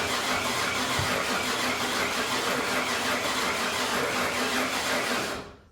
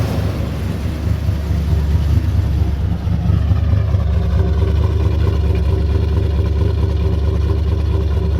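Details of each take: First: Ford 351 Windsor V8, after a new camshaft and pushrod install, crank no start: steady starter churn about three turns a second for five seconds with no firing; owner suspected no spark, but spark was present and the distributor was misaligned, timing off. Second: Ford 351W V8 with new bigger camshaft and pushrods, running at idle after distributor rotor position corrected: deep, steady rumble with slight lope, even and smooth, no knocks or misses; healthy, purrs like a kitten.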